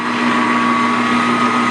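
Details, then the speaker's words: Grizzly G4003 lathe, belts refitted after a loose pulley was found rattling (long mistaken for gear train noise): steady even hum with faint constant drive whine, no rattle or knocking; runs smooth and quieter than ever, normal running. "it's quieter well that's all I ran it all this time with that belt that pulley being loose and it was rattling and you know I always thought well it's the gear train making noise"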